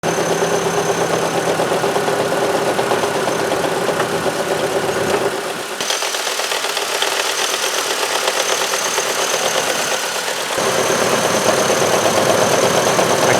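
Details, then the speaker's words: 2003 Chevrolet Trailblazer I6 near 200K miles: steady idle with constant gritty whirring from front accessories, starting after a few minutes' running; noise disappears with drive belt off. "I don't feel what I was hearing anymore in the valve cover so with the drive belt off I don't have the noise anymore"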